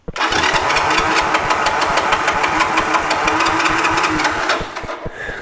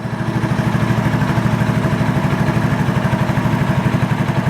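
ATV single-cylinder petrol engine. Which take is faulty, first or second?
first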